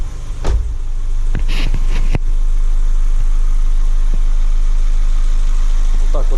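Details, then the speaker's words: Ford Focus 1.6 after engine overhaul for knocking, fully warmed up, new oil and coolant: steady, even idle with deep low hum and no knocking; healthy normal idle. "вот работает двигатель но завтра я еще на холодную его заведу послушаем Как он работает на холодную"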